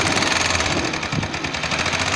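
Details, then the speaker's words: CMG motor tricycle engine: loud, fast, hard clatter from the magneto/stator side, louder as throttle increases and hurting power and speed; caused by the timing gear with excessive play (large bushing clearance) at its pin. "صوت كركبة جامد طالع من الموتور، وبالتحديد من ناحية دش الكهرباء. طبعا كل ما بتزود بنزين كل ما الصوت بيعلى،"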